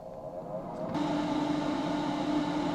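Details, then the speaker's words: DC12V ventilation fan in a kei-car camper at medium airflow, after insulating its box. A steady air rush with a mid-pitch hum, unchanged at about 65dB. The box is not the problem; the fan itself is noisy. Lower voltage or larger blades might quiet it. "Hóa ra khoang không phải là vấn đề, mà bản thân quạt thì ồn. Đây là quạt mạnh với DC12V."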